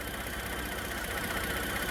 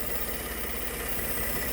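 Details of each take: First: Ford F150 EcoBoost petrol engine, after a vacuum leak part was replaced, idles evenly with a steady low rumble and no stumbles or misses; the earlier hiccups are gone and it runs smoothly, with slight belt squeal. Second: Ford F150 EcoBoost, rough-running after a wreck: steady airy hiss over a low, even idle from a vacuum leak where a vacuum canister was punctured in an awkward spot; brake booster initially suspected.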